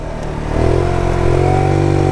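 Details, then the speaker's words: 2020 Tao Tao 50cc GY6 scooter on first ride carrying a 250 lb rider at about 20 mph: revs rise but pitch stalls and flattens as throttle opens, bogging; owner suspects not enough fuel or air, compression good. "It just can't get much into it because it's not getting enough fuel or air, one or the other, so it bogs down on itself."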